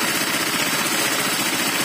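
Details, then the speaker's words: Honda Vario FI 125 (Techno, injection) scooter idling harsh and clattery with a dense metallic rattle; worn piston and cylinder block with excessive piston ring clearance, radiator coolant spraying upward; CVT recently serviced, not the cause. "penyakitnya berasal dari tengah sini di bagian piston ring suara piston yang ngeflek lebih cepat"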